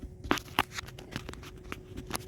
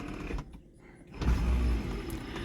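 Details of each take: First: 1979 Pontiac Trans Am with added factory power windows: sharp clicks but no motor whir when holding the switch, window not moving; motor does not run. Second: LS-swapped 1979 Pontiac Trans Am with added factory power windows: steady low electric motor hum as the window runs smoothly, with no grinding or clicking.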